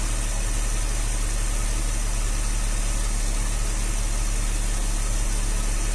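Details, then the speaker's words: 1966 Dodge A100 van, 225 ci Slant Six after long sitting, with points and jumper wire: steady even idle with a smooth low beat, no knocks or misses. Accelerator pump plunger likely worn. Normal idle. "actually sounds pretty darn good can't run it too long"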